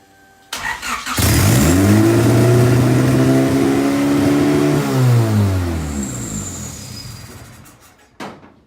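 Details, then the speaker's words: RHD turbo Honda Civic EG after Rywire PDM and chassis harness install, first start in a long time: revs climb and hang high before slowly sagging, no normal idle; owner suspects vacuum leaks or throttle cable adjustment. "Got to figure out these vacuum leaks. I'm super hyped. I'm super hyped. You guys don't even know. Maybe the throttle cable needs some adjustment."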